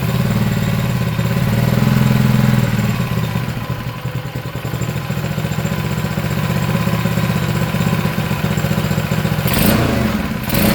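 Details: Honda GX engine for a Manco Streaker mini bike: even, low single-cylinder thump at a steady idle, a touch slow but clean; healthy, idle needs raising a bit.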